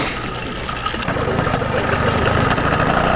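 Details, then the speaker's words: YD100 two-piece cylinder two-stroke with PWK21 carburetor being jet-tuned: slightly uneven, lumpy idle burble, better than before but still not perfect; carburetor tune not yet fully sorted. "this is idle see it's still not perfect but when i tell you it's better believe me it's better"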